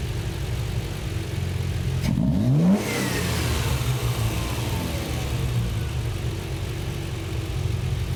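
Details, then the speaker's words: Triumph TR6 with Patton Machine TBI fuel injection after ECU memory reset, temporary collapsing hose fitted: sharp blip from idle, revs up and down with no lag as ECU has learned; healthy throttle response. "now it learned the more I do it the more the E you learns what to do in this situation and look at that now immediately"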